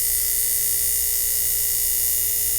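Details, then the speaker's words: 1950s ATR mechanical power inverter (6 VDC to 110 VAC), vibrator after its contacts were brought back into connection (possibly reverse polarity): steady, even, high-pitched, noisy buzz with a clean hum underneath; vibrator switching properly, oscillating normally. "bring that close to the mic so you can actually hear that and see that you hear how noisy that is isn't that crazy"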